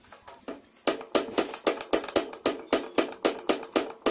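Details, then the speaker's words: Quick, sharp knocks about four a second as the car's stabilizer bar is rocked; the bar bushing has play, a cheap part behind a hard-to-find clunk. "so mga paps ito posible kapag nakakarinig kayo ng kalampag Tapos nasimot niyo na lahat i-check niyo rin yang ano yung bar bushing"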